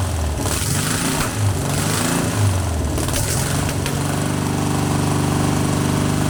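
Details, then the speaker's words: Long-dormant 1200 VW Beetle air-cooled engine on a test stand after freeing a stuck lifter, no parts replaced; lumpy, uneven running at first, then settles to a steady even beat, sounding much better; normal running. "stay on for God's sake hey that's sounded much better [Music]"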